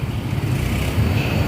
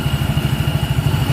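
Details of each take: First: Yamaha Mio Soul GT scooter whose starter suddenly slips and cannot start the engine: a steady low whirr with no firing as the starter spins freely without turning the engine. The cause is likely in the CVT side. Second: Yamaha Mio Soul GT scooter after repair of a slipping starter, caused by a leaking seal and a damaged starter clutch: the starter works normally again, and the engine idles with an even, low thumping beat and no clatter, slipping or grinding.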